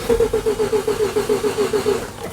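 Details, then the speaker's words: 1988 Mazda RX7 rotary, weak battery: steady starter cranking about eight even pulses a second, never fires; injector test light doesn't blink while cranking, so no injector drive. "cranking, no blinking. So, I don't want to crank it much more than that. So, that is the first step. So, I got no injector drive."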